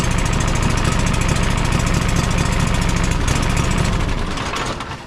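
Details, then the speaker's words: John Deere 425 riding mower, Kawasaki twin, after replacing a bad ignition coil that left it running on one cylinder: at full throttle it pulls an even beat on both cylinders. Normal running, though RPM may be set slightly high. "now if we start it back up I'm sure everything won't run that Full Throttle pretty good"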